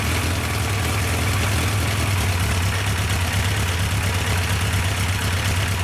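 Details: Yamaha 1200 FJ four-cylinder, restarted with the fuel pump now running during carb synchronisation: a steady, smooth low burble at idle with no stumbling or ticking, a healthy idle.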